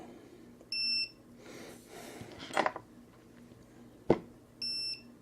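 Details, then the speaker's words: ViFly Finder lost-quadcopter buzzer: two short, high double-tone beeps a few seconds apart, fairly quiet. This is the early warning chirp that comes before the full alarm. "What does the book say? Hold the button for And there's our warning signals."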